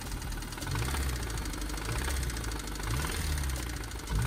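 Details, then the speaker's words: 2002 Honda S2000 AP1, about 80,000 miles, run low on oil: deep uneven thumps knock through the idle roughly once a second; crankshaft bearing knock, engine later removed for a machine-shop rebuild. "So what happened was I ran this engine low on oil, and usually when you do that, the first thing to go is the crankshaft. Here's what that sounds like."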